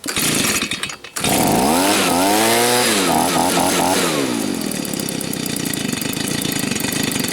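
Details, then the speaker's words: Old Stihl leaf blower that wouldn't stay running, after carburetor cleaning and tuning, warmed up: after a few blips it pulls to a high, even whine and holds without fluctuating. "again that sounds better that sounds better it's not fluctuating at high end"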